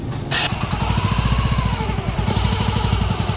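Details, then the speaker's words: Hero HF Deluxe after primary gear replacement and clutch refit: starts at once, even single-cylinder idle about eleven beats a second; previous primary gear whine completely gone. "दोस्तों आप देख सकते हैं इसमें अब कोई भी आवाज नहीं है जो प्राइमरी गियर की आवाज थी वो बिल्कुल सेट हो गई है इसकी खत्म हो गई है"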